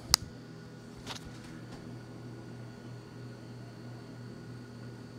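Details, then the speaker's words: Refrigerator freezer fan after reassembly, following removal of ice build-up around the fan that had caused a loud helicopter-like rattle; now a quiet, steady hum with faint high whine and soft clicks, running normally again. "so far so good very nice this sounds like what it used to sound like"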